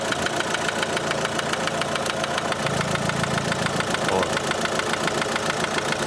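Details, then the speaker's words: Opel Astra H Z17DTH diesel, Bosch fuel system, after another shop's overhaul and injector replacement: hard regular knock about 3.5 per second over idle, located at cylinder one; metal shavings later found in the sump, engine to be dismantled. "результат щось неякий стук іде з першого циліндра отут десь чить Ану"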